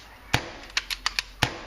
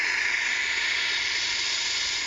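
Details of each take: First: J2L paintball marker: crisp, quick deep pops that cut off cleanly with no chuff or hiss, showing a properly balanced, correctly tuned marker. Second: CCM pump paintball marker, leak down the barrel simulated on a T2: steady thin hiss of air leaking down the barrel, easing slightly, meaning the valve o-ring needs replacing or debris needs cleaning.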